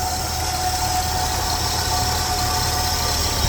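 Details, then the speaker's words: 1977 Ford F150 Custom pickup, 300-6 4.9L inline-six, three-on-the-tree, idling with air cleaner off: steady idle with a constant mid-pitched whine riding over it, no knocking or ticking; the only noise is the alternator whine. "Only thing you can hear making noise is the alternator."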